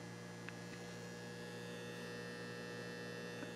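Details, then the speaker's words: Old T12 fluorescent shop light: constant low buzzy electrical hum with no rhythm from a failing magnetic ballast, already replaced once or twice; being converted to T8 LED instead. "that is the ballast in this unit here that's going out I've already replaced it I think once or twice over the years"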